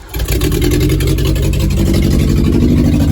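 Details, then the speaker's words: Geo Tracker being revived with new injector screens, running with no exhaust fitted and not yet timed: it catches and idles with a loud, raw, unmuffled blat that is slightly uneven; loud exhaust from running without exhaust. "so runs probably should put the exhaust on it but uh but hey it's running so good news"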